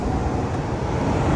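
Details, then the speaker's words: 2006 Honda Pilot, engine running, mic held close to the front AC vent with blower on high: steady, even rush of air over engine hum, no rattles or squeal; front blower working normally. "So, now we're going to turn the AC and we're going to turn this high. All right. So, I put my mic close. You guys hear it? So, the front's working."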